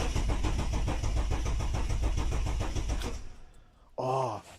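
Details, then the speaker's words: Jeep Cherokee XJ with a Ford Barra 4.0 turbo engine conversion, first start attempt: the starter churns evenly about 3.5 turns a second for three seconds and the engine never fires, because the ECU wire had not been hooked up. "I forgot to hook up a wire hang on all right let's have a second crack at it um just forgot to hook up the ECU wire"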